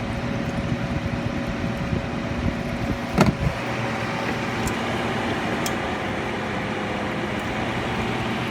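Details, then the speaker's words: Philco Noiseless 6800 BTU air conditioner from the 60s or 70s, compressor on with high fan: steady low hum, even hiss, faint tone, one brief clatter; blowing ice cold, compressor running normally. "and it's already blowing ice cold of course a lot of air is escaping up through here"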